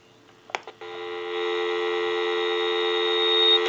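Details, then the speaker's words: General Electric 6.0 27909 cordless telephone after repair, line switched out through switch box bypassing analyzer: steady, clean dial tone about three seconds, no hum or crackle; line working normally. "we can go ahead and press the button on a switch box that'll give us a line out totally take the analyzer out of the situation and we'll call a time and temp number give you some dial tone"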